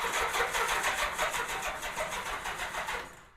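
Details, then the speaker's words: 1987 Honda GL1200 Goldwing on its first start attempt in years, with a fully charged 12.74 V battery and the kill switch off. The crank is a fast, somewhat uneven whirr with a clattery edge and no firing; the starter sounds unusual, cause unclear, and the amp draw is to be checked. "Yeah, it seems like it's cranking pretty good. Let me check the amp draw. This might just be um the sound of this starter different than my other Gold Wings."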